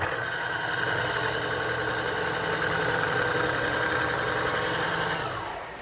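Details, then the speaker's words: Niche Duo coffee grinder during calibration: steady motor whir with thin, high squeaky tones as the burrs touch, chirping clearly at the zero setting and starting around one; burr rub chirp. "okay definitely at zero is definitely chirping and it starts right around one okay so that's perfect I think I'm going to be really happy with that calibration"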